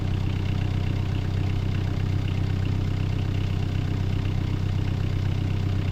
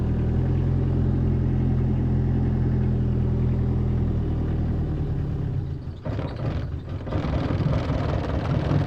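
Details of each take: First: 2018 Bobcat E26 mini excavator diesel at 1869.4 hours, just started after a battery replacement and roughly a month unused. Low, even chug at idle; owner noted it ran rough briefly as fuel drained back and starved initially. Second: 2018 Bobcat E26 mini excavator diesel at 1869.4 hours, first start after about a month unused and a battery replacement: idle runs steady then sags and stumbles before recovering; owner suspects fuel drains back and briefly starves it.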